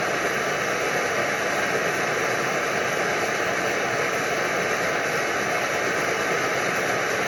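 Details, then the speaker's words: Early Primus Omnifuel stove burning liquid fuel: loud steady hissing roar with a faint fluttering unevenness; the burner flutters with its single fuel valve fully open. "There's that flutter. Now, can this be controlled at all? Well, here's our valve. We only got the one valve. This is controlling liquid fuel. It's there. It's open all the way."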